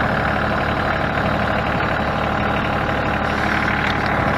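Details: Ford New Holland 1630 three-cylinder diesel tractor after resealing the rear remote hydraulic valve: steady low idle chug, even with no stumbles or knocks; running normally.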